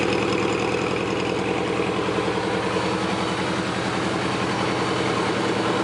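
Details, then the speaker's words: Suzuki GS850 four-cylinder warmed up, pilot screws adjusted, carbs synchronized: even steady idle just above 1000 rpm, no misses or hunting, hardly any lifter noise; normal idle. "idle in just above a [Music] th000 sounds really good I hardly hear any kind of lifter noise or anything out of t"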